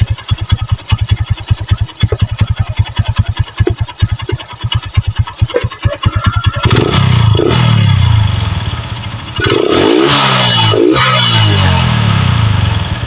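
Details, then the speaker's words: Megapro Primus motorcycle after carb service, with the air filter refitted without its sponge and the stock CDI reinstalled: the single idles evenly, then blips and holds steady revs without misses. The stutter is largely gone and charging output is normal. "sudah lumayan lebih baik ini daripada yang awal Ya sudah enggak begitu berebet"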